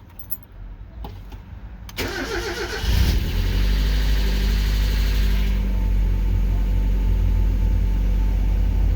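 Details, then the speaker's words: 1996 Mazda Miata 1.8 cold start: starter cranks briefly, engine catches and settles into a fast but rock-steady high cold idle, smooth and even, no blowback; only occasional lifter tick noted otherwise. Healthy. "and it's as you can see it's idling high tipping it's a cold start but it's huddling very stable nice and smooth"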